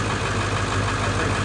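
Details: High-mileage, well-maintained early 1999 Ford 7.3 Powerstroke diesel just after a cold start: steady low diesel clatter at idle, an even beat with no skips or misses; healthy, smooth-running.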